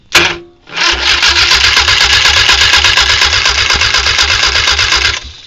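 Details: 1966 Triumph Spitfire after an oil-leak fix, cranking with no fuel: even starter cranking at about three beats per second with no whine. The whine appears only when running, so the owner no longer suspects the transmission.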